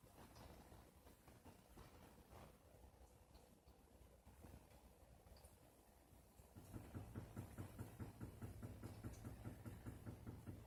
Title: Banging noise from water pipe